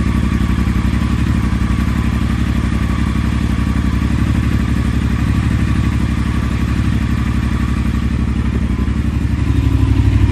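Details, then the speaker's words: Triumph Thruxton 1200R twin idling after new exhaust gaskets, open exhaust, decat and a DNA air filter: deep, even thumping about four pulses a second, steady and smooth, no rasp or rattle. Normal idle. "Nice deep throaty noise, or nice deep throaty sound to it. You can kind of feel it in your chest, but not harsh or raspy like with the slash buds."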